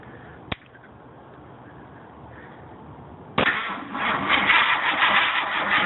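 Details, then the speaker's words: Slow, labouring, uneven cranking that never catches on a high-compression big-block Ford FE 428 V8 on a cold morning, fed by a single 4Ah 3s LiPo pack; current over 1000 A, voltage sagging from 12.4 V to 7.2 V; weak battery. "cranking voltage is low whoa that's like all over the place"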